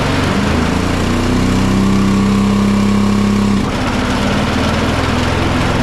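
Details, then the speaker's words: John Deere 425 riding mower with a Kawasaki V-twin, fuel checked good, bogging in thick grass or with blades engaged: uneven drone sagging and roughening as load comes on. Only one cylinder is firing; a failed ignition coil is causing the power loss. "so it still runs okay well runs anyway it does work but it bogs down you can hear it if you have a trained ear it just doesn't sound like it has any power"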